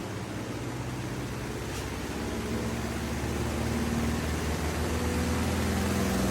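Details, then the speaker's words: Samsung washing machine on spin with clothes loaded under a cover; loud jet-like roar with a low drone that keeps building as the drum spins up over about 10 minutes, sounding like a generator; cause unclear. "देखिए आवाज बढ़ रहा है। ये हो क्या रहा है गाइस? भाई ये वॉशिंग मशीन नहीं, जनरेटर है।"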